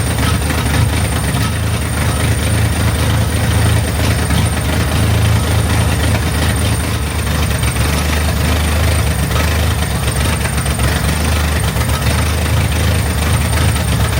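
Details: Chevrolet Corvair after new ignition system, carburetors and tune-up, started to check for fuel leaks: steady, even low rumble at idle with no misses, knocks or surging; normal idle.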